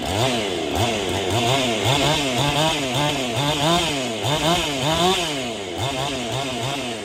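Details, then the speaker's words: Husqvarna 55/51 hybrid chainsaw being rebuilt: revs up and drops back crisply in steady cycle, no bogging or sputtering; strong pop; normal running. "Ooh, she got some pop to her."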